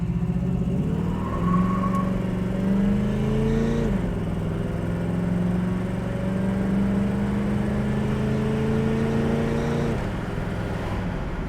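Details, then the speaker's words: 1968 Pontiac Firebird, warm at 180–190° running temperature, odometer about 81,403 (title mileage exempt), upshifting through a couple of gears while driving: engine note climbs then drops cleanly at each shift; shifts perfectly, gearbox healthy. "know if you guys can hear the training shifting uh shifts perfectly"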